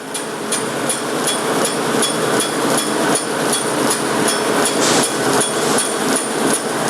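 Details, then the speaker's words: Forrest Model 2054 traveling-table bandsaw at 3,000 ft/min blade speed before cutting: steady whirr with a sharp tick about every third of a second from a setup blade thought to be bent (a hickey). "This is a blade that we've been using to set up the saw, and I think it's gotten bent, so it's got a little hickey to it. Won't affect the cutting, it's just obnoxious."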